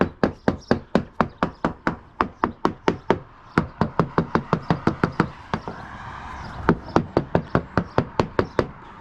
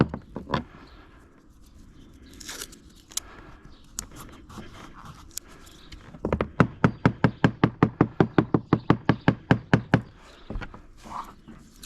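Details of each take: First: Hammer-tapping the deck of a free Halcyon 23 fiberglass sailboat: each tap gives a crisp, sharp crack with no dull thud; sounds like very sharp fiberglass, possibly no core at all, nothing worrying. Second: Halcyon 23 fiberglass sailboat deck tapped with a screwdriver at soft spot near a screw: about twenty sharp taps giving dull, flat thuds instead of crisp clicks; no squish underfoot; possible wet core suspected, not confirmed.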